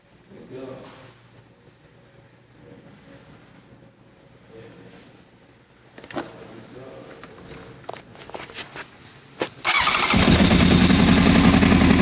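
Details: 1996 CBR900RR motorcycle: quiet at first, then a loud, steady churn of the starter cranking the engine, which never catches or fires. Crank, no start.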